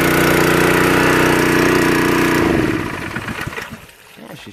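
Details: Honda water pump small single-cylinder engine after restoration from seizure and water damage, carburetor finally adjusted, pumping water: runs fast and even with a steady beat, then winds down smoothly at shut-off; healthy.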